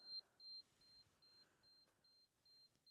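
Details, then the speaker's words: Generator engine on test run with loads switched off but one: panel's low oil pressure warning beeps steadily, about 2.5 per second, while oil appears to shoot from what the owner assumes is a breather. "well well that's not good oil pressure low huh looks like it's shooting out of this like breather or whatever that is not sure"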